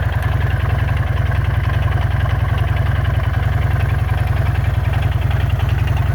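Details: Jawa 350 two-stroke motorcycle at idle: steady deep idle with a regular knock about two per second, worsening daily; owner suspects crankshaft and/or connecting rod, booked for repair.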